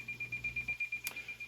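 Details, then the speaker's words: President Washington radio's built-in SWR meter in auto mode reads 2.5 and sounds a high-pitched beep pulsing about eight times a second; the beeps speed up as SWR improves, becoming solid at 1:1. "We're gonna get a visual readout of a 2.5 here. We're also gonna hear this little tone. Okay, can you hear those beeps?"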